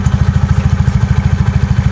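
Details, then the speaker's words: Yamaha Mio carburetor scooter: steady low thumping about ten beats a second, no tick or rattle; after replacing the loose front pulley roller housing and boss with stock tight parts, CVT runs normally. "Jadi sekarang gue ganti ke yang standar karena dia rapet. Jadi nggak bunyi tek gitu."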